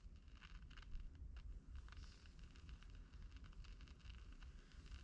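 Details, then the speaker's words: Kriesler 11-81 1958 valve radio before recapping, on dim bulb at about 180–200 V via variac: faint irregular crackling and hiss, no station; suspected dead input or IF stage, not confirmed. "okay we have some crackling bring it up slowly 200 volts no smoke or anything"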